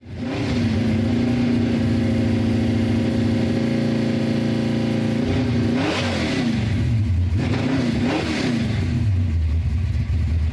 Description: 332 stroker engine, aggressive cam rough idle, cold start.